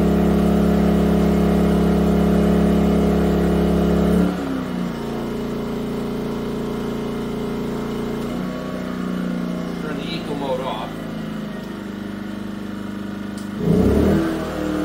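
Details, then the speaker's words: Yamaha EF2000iS inverter generator on propane after tri-fuel conversion, leaned out, Eco mode under about 1,400 W load: even hum stepping down and settling as load changes, then picking back up cleanly; normal running. "nice on low it doesn't seem to be making much of a difference but it can respond up to the load fairly quickly even on EC mode it's about 1,400 WTS might even be around"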